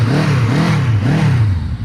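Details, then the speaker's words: 1983 Honda CB750 Nighthawk four-cylinder, back running after sitting over 10 years, new battery and spark plugs: smooth, even note rises and falls cleanly through quick revs, no misses or knocks; healthy, smooth though acceleration milder than expected. "she runs like brand new I mean it's a Honda what do you expect"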